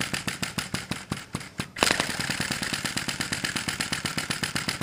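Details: Sai Hu V1-45 flame-licker vacuum engine on denatured alcohol, running a few minutes, cylinder warming, flame sweet spot still being sought: rapid puffing beats stumble unevenly then steady somewhat; uneven running.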